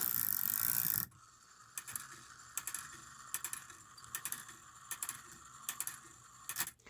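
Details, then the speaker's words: Antique cuckoo quail clock from about 1900-1914, after a brass washer was fitted to tighten a loose count wheel, with the high note lever disconnected, gives even bursts of light clicks about every 0.8 seconds; the strike train now works normally. "I don't have the high note lever connected uh activated anymore that's why you don't hear that all the bouncing you still have the low note lever bouncing but the wheels nice and tight"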